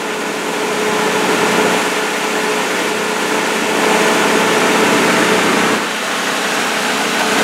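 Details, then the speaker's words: Old Nissan pickup with a bad clutch, parked, slightly slow starting (possibly weak battery): steady, even idle with faint constant hum, no knocks or misses; engine sounds good. "But it does fire. And it actually sounds quite good. A little slow starting, could need a battery."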